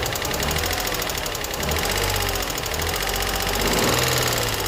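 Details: Infiniti G35 petrol V6 at 109k miles, with no check engine light, new cats and regular oil changes, has a fast sharp ticking or knocking at idle from one side only; the owner wonders if it is lifters or spark plugs.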